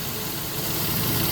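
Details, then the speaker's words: 2015 Nissan Frontier 4.0 after alternator replacement (old one suspected bad bearing or stator): first start-up, battery light off, even steady idle with no bearing growl or squeal; engine and belt-driven parts running smoothly, normal. "No more battery light. Good to go. One more final inspection. Everything's back on. Engine's running nice and smooth."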